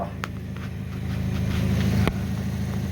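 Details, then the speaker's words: 2005 Hyundai Accent winter beater idling after backyard exhaust repair, flange section welded in; even low idle thrum with no ticking or puffing at joints; no leaks, nice and quiet. "there it is there oh welded in no leaks nice and quiet"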